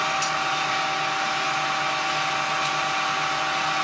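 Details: Homemade propane-tank ball mill, belt-driven motor run off a battery charger drawing about 2 amps: even steady whirring hum with a high hiss, no knocks or grinding; running smoothly.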